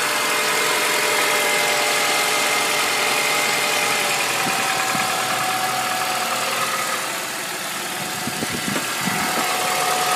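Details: Honda Accord engine at idle: steady idle with a light, even tick of about three per second over a hissy top end; abnormal engine noise, cause unclear.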